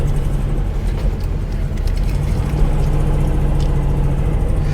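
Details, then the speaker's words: Porsche 912 air-cooled flat-four, cold day, after replacing points with electronic ignition; backfired at first start, now steady even beetle-like chatter with no misses, started much easier, running smoothly. "sounds very much like a beetle now [Music] so the electronic ignition that seems to have made a difference that started up much easier than i thought it would"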